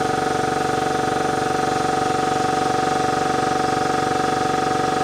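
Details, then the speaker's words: Ingersoll Rand 5HP 2-stage 80-gal air compressor, replacement eBay motor: even pumping pulse about three beats a second over steady motor hum, unlabored; 241 V running; normal. "It's the exact same voltage when it's running, 241."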